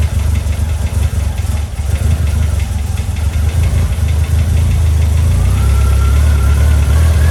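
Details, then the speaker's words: Eagle Talon (DSM), first start after a 12-year full restoration: a loud, slightly uneven idle with a faint rising whistle. It runs, but the idle screw and tuning still need adjusting. "So as you've seen, it started. And since that little bit of a video where it started, which made me very happy, it definitely had some issues, we'll call it, but some of it I knew I'd have to do as far as tweaking a bit too."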